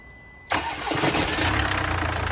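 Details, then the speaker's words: Crash-damaged Mercedes GLA 200d AMG Line diesel, first start after a new battery and clearing the crash data and resetting the crash fuse: fires instantly and settles into a smooth, even idle with no stumble, a clean healthy start. "Yes. Perfect. And sounds lovely. I'm made up."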